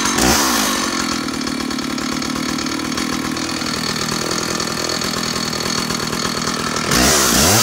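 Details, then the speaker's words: Stihl 056 AVSEQ 87cc super two-stroke chainsaw after new SEM ignition module cured a misfire; revs up to crisp steady high buzz without stumbling and drops to clean idle, normal running. "so let me show you what she sounds like she's an amazing amazing engine"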